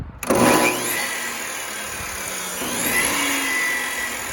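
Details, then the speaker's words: 20-year-old Bosch 4000 table saw whose motor had suddenly run slowly backwards, after replacing the speed control board: motor snaps on and spins up to a steady, even whir with a faint high whine, no grinding or stutter; working again. "as you can see it seems to be working all right"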